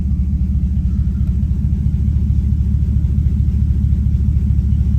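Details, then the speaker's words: V8 running with no exhaust fitted, after clearing limp-mode checksum and cylinder one codes: deep, steady, even idle on all eight cylinders at just over 500 rpm; normal idle. "that's a pretty happy idol smoothly on eight cylinders at just a touch over 500 rpm"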